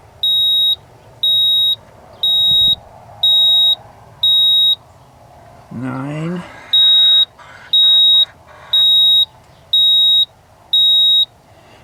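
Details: 1987 Ford F-150 inline-six that ran rough after warm-up on a cold morning: sharp high beeps about once a second in groups, a pause, then more; code reader flashing out stored trouble codes.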